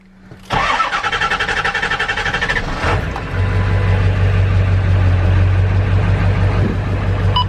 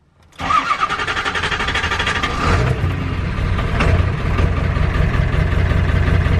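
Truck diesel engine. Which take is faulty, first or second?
second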